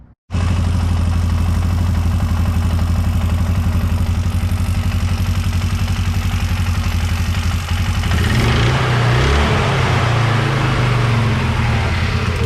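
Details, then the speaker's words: 2004 Can-Am Outlander 330 2x4, 4,000 miles, after replacing sticking primary CVT clutch wear parts (levers, rollers, pins): deep, even idle thrum changing smoothly, no sticking, chatter or drag; clutch idles down and shifts smoothly, fixed. "it idles down uh shifts smoothly from uh high in the gear and goes forward in reverse and so i think we fixed the problem"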